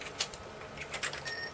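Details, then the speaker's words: Commodore Amiga A2286 bridgeboard: light disk-seek clicks then a short steady high beep when doing a directory; unwanted speaker beep during disk access, possibly beeping when reading the IDE or a card issue, cause unconfirmed. "maybe they're making it beat the speaker when it reads the IDE"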